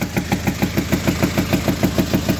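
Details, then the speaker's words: Hyundai HR 16-valve diesel at idle; loud, sharp metallic knock about six times a second with popping; broken rocker arms and tappets in valvetrain. "então como pode ver esse carro tá com barulho muito forte dando uns estouros no fio"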